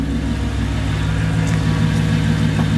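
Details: Mercedes C55 AMG V8 at first start after a manual swap and a long sit; exhaust cut before the diff, no secondaries, resonator kept, stock primaries. Deep, even burble with a slight swell in revs, no knocks or misses; sounds healthy.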